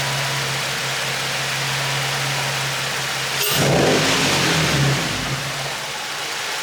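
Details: G35 drift car with a newly installed low-mileage engine and Godspeed exhaust, on first start-up. A steady, even hum, one quick rev blip, then it settles back to a smooth idle; no leaks or issues noticed. Normal running.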